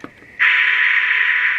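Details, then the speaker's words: Circa-1977 Sears AM walkie-talkie (radio B) after recapping and switch cleaning: soft click then steady even white-noise hiss with no crackle; receiver working normally. "We've got proper white noise on the radio, and you can hear we've got the tone from the Tiny SA going in on our first channel, which is channel 14."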